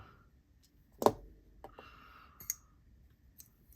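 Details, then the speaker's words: Schenk Knives Ally folding knife, reassembled after swapping to Skiff bearings to cure lock stick: sharp click, dry scrape, then faint ticks as the blade swings; noise returned, owner suspects the stop pin. "oh something's up all right I'm going to might be that stop pin"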